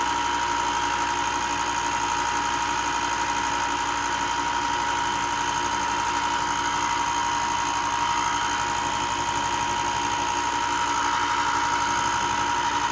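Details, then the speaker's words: Ryobi 4x36 bench top sander after replacing a burnt bearing that caused loud clicking: even, steady motor hum with a constant high tone and no clicking; repair fixed it. "Okay, it seems to have fixed it."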